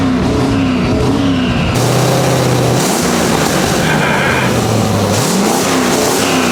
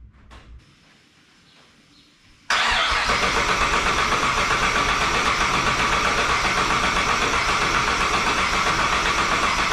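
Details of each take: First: 1959 Chevrolet Apache pickup restomod with twin rear-mount 3071R turbo LS3 V8 on first start-up after ECU VATS removal; blipped revs fire evenly with no knocks or misses, some smoke; non-start traced to fuel pump relay trigger wire from ECU. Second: 1959 Chevy Apache twin-turbo LS3 with fresh fuel, checked injectors and plugs refitted: silence then steady fast starter cranking that never catches; crank no-start because the ECU start trigger wire was not connected.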